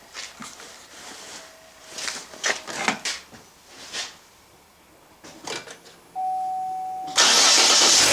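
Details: 2014 Chevy Cruze right after battery replacement: quiet clicks and handling, then the engine fires promptly near the end and settles into a steady, even run; starts normally.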